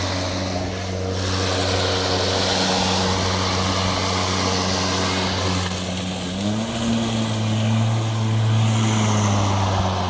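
A steady low motor drone with an even blade hum holds continuously for ten seconds without cutting out. The mower is running normally.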